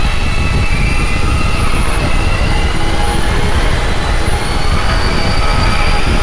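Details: Heavy-lift drone, first flight test, batteries not fully charged: loud roaring drone with wavering high prop tones drifting apart, like an airplane. The propellers are not moving in conjunction, with odd oscillations; the owner suspects PID tuning.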